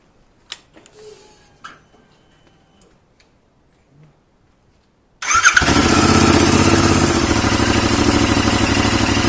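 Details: 2021 Royal Enfield Continental GT 650 twin, first start after valve adjustment and reassembly: quiet clatter, then it catches instantly and settles into a steady, even idle with no top-end ticking; normal.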